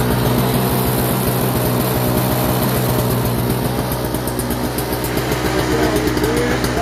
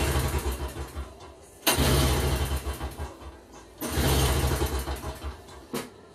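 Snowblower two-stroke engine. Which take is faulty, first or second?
second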